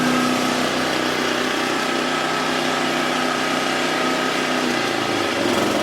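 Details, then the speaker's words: Toro/Exmark 30-inch mower that had blades with little or no power: a high, busy single-cylinder buzz holding a constant speed with no misses or rattles. Normal running. "But should be pretty good. Everything seems to be normal."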